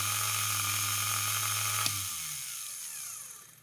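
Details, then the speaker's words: Vintage Elson watchmaker's lathe motor after cleaning and rewiring: a steady high whine, then it switches off and winds down smoothly with no scraping or stutter. It runs fine. "okay let's try reversing it right now so if you're look looking down the shaft that is turning counterclockwise"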